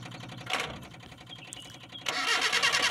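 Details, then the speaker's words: Colt 120SS hard-starting engine, spark plug wires checked toward the distributor: starter cranks steadily about three beats a second but engine won't fire; no spark at the plug, though current reaches it; plug checked and fine. "turns out the stun is gone, Lur, there's no stun, here, let's try removing the spark plugs, Lur, just one, we'll check the condition because we were afraid the spark plug was dead, Lur, OK?"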